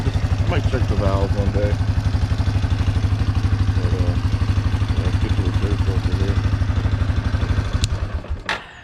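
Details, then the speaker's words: 1997 Yamaha Big Bear 350 2WD quad, speedometer broke at 686 mi, steady single-cylinder idle with light top-end tapping; owner suspects the cam chain has stretched beyond what its automatic adjuster can take up, not real loud, cause unconfirmed. "maybe the chain stretched so far it's not working as it should, but it's not real loud, but it makes a little bit of noise."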